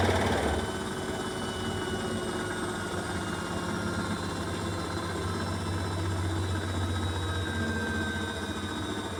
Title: Washing machine Beko WMY81283LMB2 unbalanced loud rattling final spin 1200rpm with water swirl!!!!!!